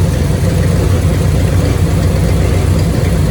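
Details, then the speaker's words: 1965 Cadillac Coupe DeVille V8 after rebuild, warmed up 10–15 minutes after a short test drive: deep idle with an irregular stumbling thump and visible shaking; possible misfire, with spark plug gaps to be checked, plus slight belt squeal. "She's been running for 10-15 minutes now just to warm up. She's charging. She has a bit of a stumble. You can kind of see it shaking."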